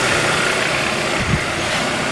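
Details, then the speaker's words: 2013 Kia Rio after alternator replacement that cured an engine rattle, just restarted after a battery disconnect while it relearns; smooth, steady idle with a constant mid-pitched hum, no rattle or knock, charging about 14 volts, a normal idle. "this will run a little a little funky it's got to relearn I've had the battery disconnect noise is gone"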